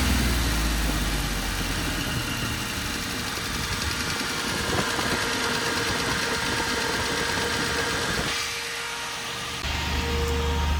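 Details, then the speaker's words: Chevy 4.3L V6 swapped into a Willys CJ5 at idle, electric fan roaring: a quick tap about four per second; quieter with oil stabilizer, owner suspects failing bearings, possibly from a wrong flywheel. "You hear that? Just kind of that tap, tap, tap, tap, tap, tap. I don't know what it is. It drives me mad though."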